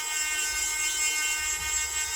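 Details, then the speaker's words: Nail drill machine after repair, with the positive wire taped: it spins up to the top speed setting of 35 with a steady high-pitched whir, even pitch, no rattle or grinding; working normally. "So, that's working. All the way up to 35."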